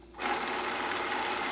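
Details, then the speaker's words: Zenith YT960 stereo console with Z57 reel-to-reel (Wollensak 5730) after restoration and new belt: steady, even whirring rush on rewind with no scraping or catching; deck running normally. "so far seems to be running real nicely um been testing some functions"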